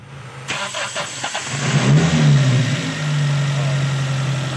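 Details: Toyota engine that would not start, after fixing a vacuum leak from a loose hose: cranks, catches within a second, then settles into a steady, even low hum with no stumble; clean, stable idle.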